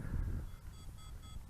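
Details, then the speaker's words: ZLL SG907 MAX GPS drone on its first-phase low-voltage return-to-home: the controller beeps steadily, about three short high tones a second, over rotor and wind noise as the quadcopter heads back; low battery warning. "and I can hear some beeping going on. And I can hear the quadcopter coming back."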